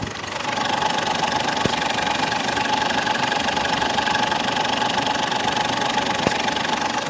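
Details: Ford Endeavour diesel with low pickup, turbo and EGR problem, no check engine light: steady idle with a fixed mid-pitched tone and even fast ticking, heard close on the mic; mechanic then confirms the turbo's VGT is jammed, from carbon buildup or tampering.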